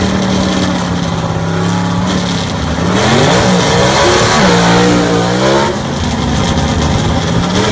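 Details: Southeast Gassers Association race car, freshly assembled and pre-run engine, track test passes: deep crisp bark climbing and dropping through hard revs between gears, clean pulls, no misfire or rattle; normal engine under acceleration.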